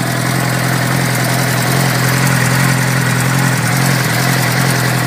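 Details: 2006 Suzuki GSX-R600 inline-four at idle: fast light tick over exhaust note, roughly three to four per second; owner asks what causes it, source not identified; engine ticking noise.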